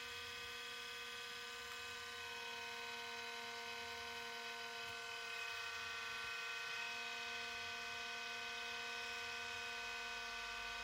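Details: 2005 IBM ThinkPad R52 laptop (Pentium M 1.86 GHz, Windows XP), about 20 years old, running with a loud, steady whir and several thin constant-pitch whining tones; owner suspects the noisy cooling fan is from poor maintenance by the previous owner.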